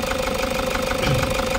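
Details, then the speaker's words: Toyota HiAce 3.0 diesel with check engine light on and very strong engine vibration: hard, uneven knocking shake at idle, about fourteen pulses a second; mechanic suspects injectors, pending a scan. "Tingan niyo yung vibration mga boss naka-check engine ta vibration ng makina ang lakas so sa mga ganitong problema titingnan kaagad natin dito ay injector"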